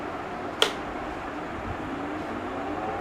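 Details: Stand fan after repair of clattering noise by refitting and moderately tightening its belt; smooth steady airy whir with one faint click, no rattling or knocking: clatter gone, runs cleanly.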